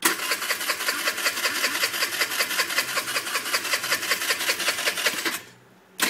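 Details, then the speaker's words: 2004 Qingqi 49cc scooter with new carb, fuel valve and battery, fuelled, which lost power and died while riding: fast, even starter whirring with regular compression ticks for over five seconds, never firing; cranks but won't start. "This is my 49cc Chinese scooter, Qinchi I think it's called, and this is the noise it's making. It was riding fine and now it won't start."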